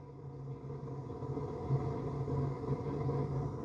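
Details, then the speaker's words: Gas furnace in its heating sequence after the hot surface igniter lights the burners: a steady low airflow hum with an even rumble and no knocks or squeals as the blower pushes air across the hot heat exchanger, running normally. "That blower motor is just pushing air across a hot piece of metal, which is your heat exchanger, b"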